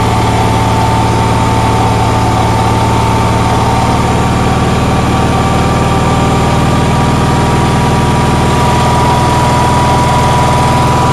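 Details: Onan generator on a cold day, with a steady, fast drone and constant hum, no dips, well above normal idle; outlets read 160–170 volts and the stator about 18 volts, and the owner thinks idle is too fast and won't adjust down.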